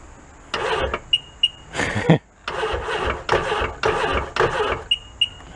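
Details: 1999 Sea-Doo jet ski after its battery sat 24 hours on a 6-amp charger, battery doubted: short, sluggish cranking bursts with pauses, no firing. Engine not locked up; weak battery suspected, jumper pack planned.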